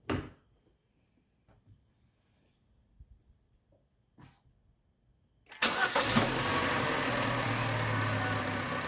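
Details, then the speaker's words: 1.4 turbo Chevy Cruze/Sonic: engine fires quickly and settles into a smooth, even idle with the EVAP purge solenoid's plastic rattle gone, only a faint injector tick; normal idle. "there we go daddy that purge solenoid isn't making that plastic rattling noise anymore sounds a lot better right now"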